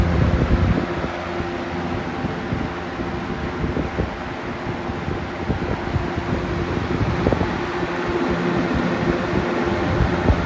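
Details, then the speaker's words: 1995 Lakewood 200 20-inch box fan, 2.1 A, good condition, run at medium-high; steady airy rush with low hum and slight buzz felt in the cabinet, no blade imbalance, rattle or scrape: normal fan running. "That's kind of what I'm feeling here in the cabinet, but it's not like a vibration that you would get from the blade being out of balance. It's just a vibration from the sound itself."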